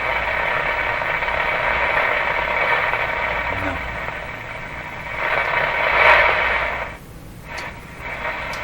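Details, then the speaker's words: Philco 38-C7 tube radio tuned to shortwave around 9 MHz: harsh crackling hiss and uneven buzzing rasp swelling and fading, resembling ignition noise from an unknown source in the shop; interference noise. "comes that weird sounds like a ignition noise but cars don't do this anymore do they nobody's car would sound like that I don't know what this noise is that comes out all the time in my shop"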